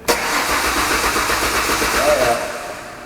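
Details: 1998 Ford Contour cranks at an even rhythm for a few seconds but never fires; no fuel pressure at the engine, suspected restriction in the fuel supply line.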